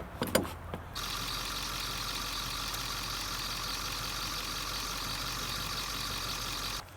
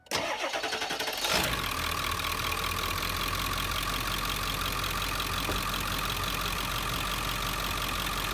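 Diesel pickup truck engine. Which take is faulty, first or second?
first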